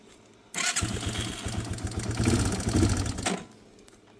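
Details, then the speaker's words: 2002 Yamaha TTR 225 single after a battery replacement: about three seconds of steady starter churning with no firing or catch, because the fuel valve had been left off. "Oh, we know. What? We never turn the [ __ ] gas on."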